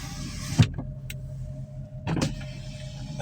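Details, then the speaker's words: 2004 Porsche Cayenne S, Copart auction buy: power window motor gives a short even hum as the glass travels, stopping cleanly with a soft thump; front and rear windows work normally. "window works. Over there works. backer in the back. Yep. Yep, that works."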